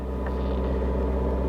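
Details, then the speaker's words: 2021 Ford F-150 XL 4x4, believed 2.7 L, just under 60,000 miles, listed at auction as non-driving: it starts and settles into a low, steady, even idle with no knocks, ticks or hunting. "let's see if it starts all be damn it actually runs great it it actually runs really [Music] well"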